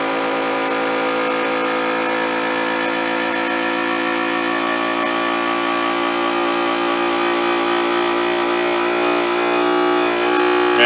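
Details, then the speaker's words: DIY jar vacuum sealer evacuating a jar of freeze-dried blueberries, running about a minute to get all the air out: a steady buzzing motor hum whose tone slowly changes as vacuum builds. This is a normal pump pull-down. "This is gonna run for a minute because it's gotta get all the air out of this thing. So you can hear the motor on the vacuum sealer will change sounds."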